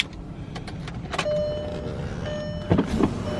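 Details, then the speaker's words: VW MK4 GTI driver's window after fitting new window switches, since the old switch wasn't working: steady electric motor hum for about a second, repeated later, with clicks at the stops; normal power window operation. "wasn't working. We got a new set here, new switches, put those in. That was pretty easy, and that was just $15 off Amazon, so that was pretty easy."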